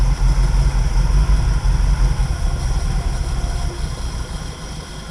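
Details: 1969 Ford Mustang carbureted V8, first start after fuel issue: runs fast and steady at a raised idle, deep low rumble that never settles despite hand-choking, then fades as the key goes off.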